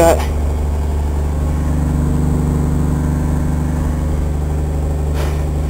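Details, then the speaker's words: Truck idling after muffler work, before new pipe added: steady, even idle with deep, muted exhaust note and no rasp or blatting; much quieter than before. "can obviously hear the difference now it's much more quiet in here now"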